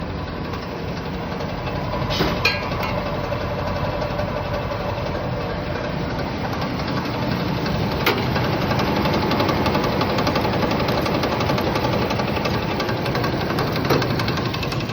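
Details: Engine at steady idle after exhaust leak fixed: no exhaust puffing or leak tick, just an even hum and a faint irregular background clatter; normal running.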